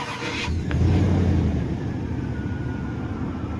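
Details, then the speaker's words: 2005 (2004-body) Dodge Dakota no-start, bypassed with an added push-button start switch while in park: short crank, V8 catches cleanly and settles into a steady idle; starts fine without the costly repair. "Truck starts. And I didn't have to spend around roughly 4 to 500 bucks in repair to do it."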